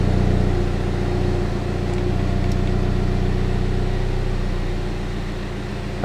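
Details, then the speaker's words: 2016 Mini Cooper F56 JCW (tuned) petrol engine idling steady and even after new NGK Laser Iridium plugs gapped to .060" and Dinan coils; no stumbles or misfires. "so as you can hear um the car started normally it's now idling normally sounds fine performs fine and i'm not having any misfire or other issues"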